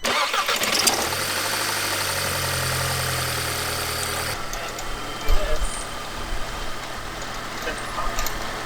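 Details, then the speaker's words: 2006 Audi A3, 183,000 miles, just after a new part fitted so it no longer stumbles with the dipstick pulled: catches and settles into a steady, even low idle with no stumble or hunting; better throttle response, though intake-valve carbon remains. "so this is a great result and we even have better throttle response"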